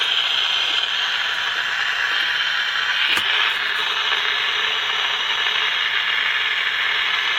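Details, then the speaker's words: General Electric P-815A Deluxe 7-transistor radio during repair, after capacitor replacement: a steady hiss of static with one brief crackle and no station; output is more than before but there is still no tuning. Cause not confirmed. "Well, we got more than we did. We had more than we did. We still don't have any tuning, but"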